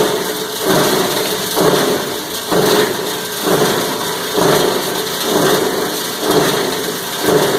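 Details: Cumberland 7.5 hp granulator, 12x12 cutting chamber, grinding about 10 lb of taped 3-conductor multi-strand copper wire: heavy churning grind swelling and easing about once a second as the load tumbles, motor surging; normal operation under load.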